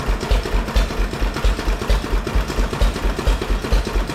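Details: 1931 McCormick Deering Model M 3hp stationary engine running after installing a new molded plastic fuel tank; slow, even chuffing beats about two a second with no misses or knocks, running sound.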